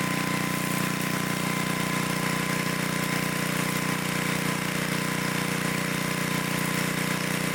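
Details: 1972 Dayton 3,000 W electric-start generator, revived after 30 years unused, running after reassembly for an RPM check: a smooth, even hum with a steady beat near 200 a minute and no misses or knocks, running cleanly.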